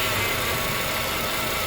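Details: Acura TSX power steering pump at cold start: steady hissing, sucking whoosh at idle as the pump draws in air; owner told the O-rings on the pump were the cause and advised to change the clamps.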